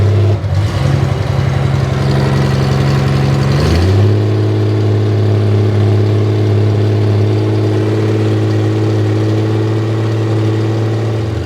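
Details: Honda Gold Wing six-cylinder running on open headers with no collector while curing freshly VHT-painted header pipes; revs drop to a loud, rattly idle drone with sharp crackle, giving a harsh, raw exhaust note.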